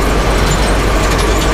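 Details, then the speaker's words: Gleaner combine being revived for first harvest in about 20 years, after raddle chain and bearing replacement, run up: steady even machinery roar, no knocking, clanging or banging; running smoothly. "listen to how quiet man we can even run her up she's just as quiet as can be no clanging no banging"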